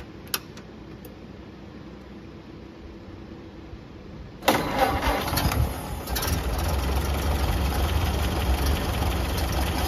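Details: Late 1931 Ford Model A, first start after fuel-system repair with lines reconnected and no leaks: quiet lead-in, then the four-cylinder catches and settles into an even low idle at about three beats a second, no misses, running normally.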